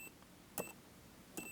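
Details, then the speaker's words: Multimeter continuity test on a model locomotive being checked for DCC motor isolation, probes on the small circuit board and the frame: two short sharp high beeps and the reading goes to zero, meaning a connection, so the motor is not isolated. "right there you can hear it and you can see it's going to zero so there we know that there's a connection here"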